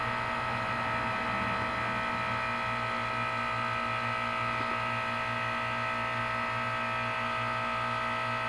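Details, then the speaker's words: 12-year-old 2004 Carrier 10 SEER 3-ton heat pump, frozen outdoor unit in cold winter, in defrost mode: steady compressor hum with a fixed high tone, no knocks or rattles, awaiting the reversing valve whoosh as it begins steaming. "gonna hear that reversing valve whoosh any second now it's not steaming oh wait yeah this yet Steven not much but it is steaming yep there we go"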